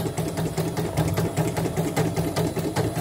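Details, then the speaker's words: CNY E900 embroidery machine serviced for not stitching and rough noise; damaged needle-struck rotary hook sanded, not yet replaced; steady even stitching clatter about 2.5 beats per second, no snags or grinding; running smoothly. "Udah lancar nih. Jangan ada yang loncat lagi di video ini."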